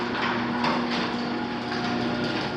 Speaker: That's how loud it is. I'm not going to call that.